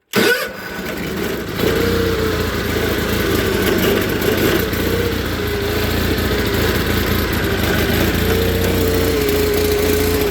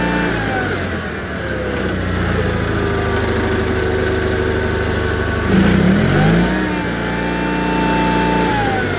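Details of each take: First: Onan engine in a John Deere 318 garden tractor runs very rough, wants to stall and won't take throttle even at full, despite a new OEM carburetor, tune-up and valve adjustment; uneven lumpy idle. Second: John Deere 318 garden tractor, Onan B43G twin, previously rough running, after OEM points and condenser, plugs, wires, filters, oil and timing: smooth even idle, clean rev pickup and settle without stumbling; running good.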